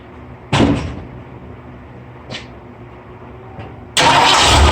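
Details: Ford F100 with 351 Windsor and C4, just fitted new carburetor, spacer and gaskets: a few clunks, then engine catches quickly and settles into a strong, even run; starts and runs cleanly.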